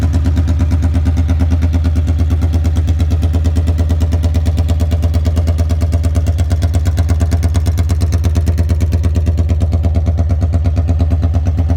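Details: 1982 Honda Magna V45 VF750C warmed up after an oil change, choke zip-tied open: very loud, raw, evenly pulsing V4 idle with a hard, open bark, exhaust far too loud with no muffler fitted.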